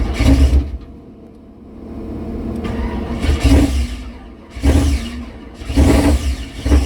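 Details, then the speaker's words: Mystery 1976 K5 Blazer that sat 5–8 or more years, on a freshly charged battery with black oil. Repeated starter bursts with brief coughs but it never runs. Crank-no-start, possibly not enough fuel yet. "no maybe it just didn't have enough fuel yet"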